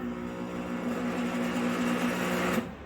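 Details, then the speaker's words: Salvaged shop blower motor running without its destroyed end bearing, shaft unsupported: hum with wavering, rattly mechanical chatter. "So let's hear it now. Like, Jay, it's not supported."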